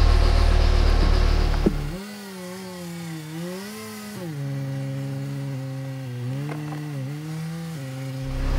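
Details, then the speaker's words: 2006 Mini Cooper S, 25,000 original miles, at startup and while driving onto the lift: harsh, rattly, nasty buzzing that rises and falls with engine speed. "so you guys heard it when i started the engine up and pulled it over to the lift it's a rattly really nasty sounding buzzing noise"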